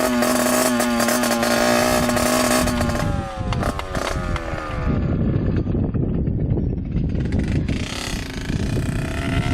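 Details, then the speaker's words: 1986 Yamaha YSR 50 two-stroke with aftermarket DG pipe, leaking some gas, first ride after purchase: buzzy revs sag and stutter unevenly under load, runs rough; owner suspects something plugged up restricting fuel flow. "Obviously it needs a lot of work. It sounds like something's getting plugged up. It's not allowing all the gas to go through it."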